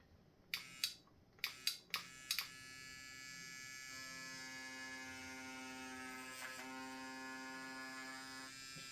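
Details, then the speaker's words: Cheap, tiny, clickerless tattoo pen bought without a kit, on a first test with the voltage possibly set a little too high: thin, high, wavering buzz after handling clicks. It sounds strange and runs rough, leaving dead spots in orange ink. Cause unclear. "might have it up just a little too high. That sounds really strange. Well, it didn't even work well on the orange. There's a bunch of dead spots."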